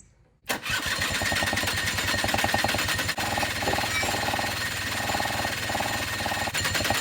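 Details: 2006 Suzuki Quadsport LT80 two-stroke, stored for years after stalling, previously seized engine, after carburetor cleaning (clogged needle valve suspected): quick start, then crisp fast two-stroke buzz holding steady with even firing, no stumbling; running fine.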